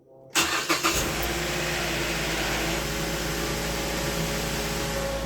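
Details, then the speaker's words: 2010-on Mazda5, first start right after oil and filter change, filter not pre-filled: brief cranking, catches at once, then a steady even idle with no ticks or knocks; oil pressure light goes out, sounds healthy. "sounded pretty good. Let that run for a second. Oil pressure light is gone, which is good."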